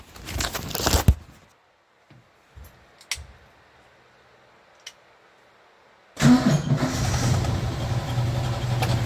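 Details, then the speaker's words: 1965 Chrysler Valiant AP6 being revived, temporary battery hookup and new ignition switch: after a few clunks the engine starts first time without pumping, settles into a fairly even idle with a knock underneath; no smoke, knock source undetermined. "so it actually runs real nice starts up straight away first time don't have to pump the pedal nothing but you heard that knock"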